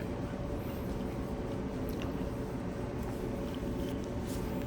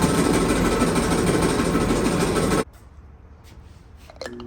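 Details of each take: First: Clothes dryer reassembled after repair for rough running noises: quiet, even low hum with a faint steady tone, no thumps, squeaks or scraping; running smoothly after repair. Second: Clothes dryer before repair: loud, rough churning roar with a quick, uneven rhythm for a few seconds, then it drops away; running rough, and quiet and smooth after the repair.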